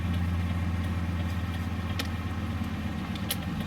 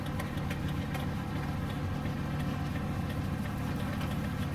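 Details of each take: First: Ford Excursion/Super Duty with non-LED bulbs, diesel idling: soft, even flasher clicks about every two-thirds of a second as the right turn signal flashes at the normal rate. The left side hyper-blinks depending on steering-column tilt, from a loose column connection. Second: Ford Excursion/Super Duty with non-LED bulbs, engine idling: fast, light flasher clicks quicker than normal as the left turn signal hyper-flashes once the tilt steering wheel is lowered; a loose connection in the steering column is the cause.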